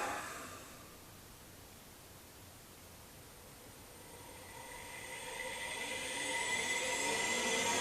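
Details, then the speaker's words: AC induction motor on an inverter/motor controller, motor speed drops very slightly then spins back up as slip control operates; high whine sags in pitch and climbs back over a few seconds, normal slip control speed hunting. "so there we are now you can hear the way the motor speed drops very slightly and then spins up again that's the slip control operating"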